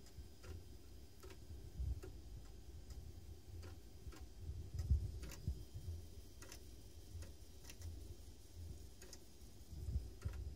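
Sharp dry ticks about once every 0.7 seconds over a quiet low hum: the floppy drive keeps retrying reads and struggling.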